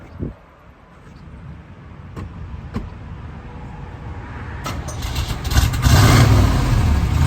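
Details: 1971 Chevrolet Camaro RS Z/28, 350 V8, 4-speed, frame-off restored; after a quiet lead-in the engine cranks, catches and settles into a strong, steady low rumble with no knocks or ticks, healthy idle.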